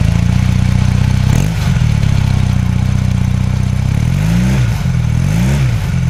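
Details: 1981 Honda CM400C twin motorcycle at idle: low, even burble with a few clean throttle blips that rise and settle smoothly; healthy engine.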